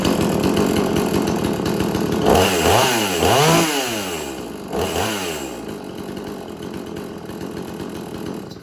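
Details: Extreme Power 8200 XP two-stroke chainsaw, chain freshly sharpened, still cold to slightly warm; it idles faster when hot. Blipped through a few quick revs, then drops back to a steady idle without stalling: normal idle.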